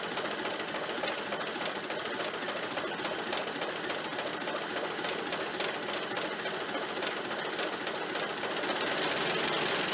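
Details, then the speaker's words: Ford Model A generator after front bearing and brush replacement, back on the car charging a steady 15 amps: old four-cylinder running at a fast, even beat. Bearing squeal gone. "and the squealing noise is gone i haven't heard it yet so that's good"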